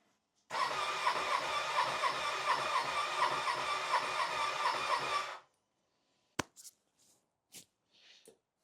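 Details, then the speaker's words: Ducati Panigale rebuilt after a bad crash, first start attempt: starter spins steadily at about four compression beats per second for five seconds, no spark heard, never fires; cranks but won't start, owner suspects the fuel pump electronics were left unplugged. "Well, it turns over, so that's a good sign. It sounds good. It's just not turning o. It's just not I'm not hearing a spark or anything."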